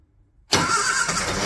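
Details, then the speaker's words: Barn-find classic Mini pickup-based ice cream van, first start attempt after long dormancy: choke on, ignition on, cranking bursts into a ragged roar that almost catches and runs unevenly, engine nearly firing. "whoa did that nearly start nearly when you went"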